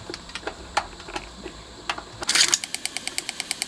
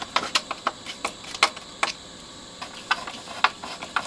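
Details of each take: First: Bang & Olufsen Beocord 5000 vintage tape deck, new belt fitted: light crisp tick about six times a second in time with the drive, present forwards and backwards, seemingly from the pulley itself; later found wobbling with excessive runout. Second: Bang & Olufsen Beocord 5000 vintage tape deck after service with all new belts and demagnetized heads: crisp irregular clicks and clunks as the transport shifts, no squeal or drag, no squeaky parts; normal tape transport operation.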